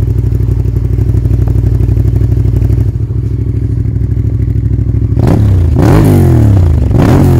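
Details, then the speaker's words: Honda VTR V-twin motorcycle, 41,000 miles, starting up: steady lumpy V-twin idle, then three quick throttle blips rising and falling cleanly; normal start-up and revving, healthy engine. "and I'll do a video of it starting up, and I'm sure you will like the sound of it. They do sound lovely."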